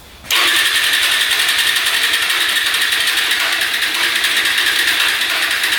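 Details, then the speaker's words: Hyosung Aquila 250 motorcycle, junk fuel pump bypassed, cylinders cleared, gas poured directly in carb: rough hissy sputtering run with fast irregular pops back through the carb; owner suspects timing off, sparking at wrong time. "We put gas directly on the carb. You can hear it popping through the carb. So typically when it blows back through the carb like that, it means timing's off."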